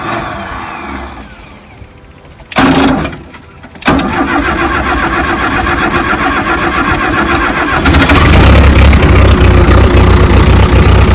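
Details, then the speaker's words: Old diesel backhoe after new fuel pump install, sediment bowl had water: a couple of tries, then catches and settles into a steady, even chug with deep clatter; starts and runs normally. "Oh, look at her chugging. Well, that's exciting. We got the old backhoe running."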